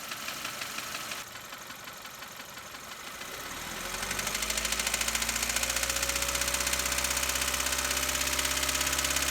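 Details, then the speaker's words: Light, regular engine tapping that quickens as revs climb while accelerating; possibly a small exhaust leak, though doubted, being traced with a mechanic's stethoscope. "It could be, I don't think it is, but it could also be small exhaust leak that could be making that noise, because as we accelerate, and I'm going to show you, it's going to pick up a little bit."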